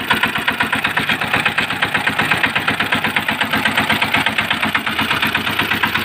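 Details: Small engine after teardown, repair for jamming and noise caused by a broken air cleaner filter piece lodged between piston and head: quick, even put-put with crisp regular firing, no knocks or misses; normal idle after repair.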